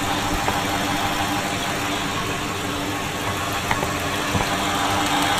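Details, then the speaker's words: Fuel injectors being diagnosed before a rebuild, listened to at idle with a stethoscope: light, fast ticking over the engine hum. All injectors sound similar, which is normal injector clicking. "okay so all of the injectors do sound similar you can hear a distinct ticking"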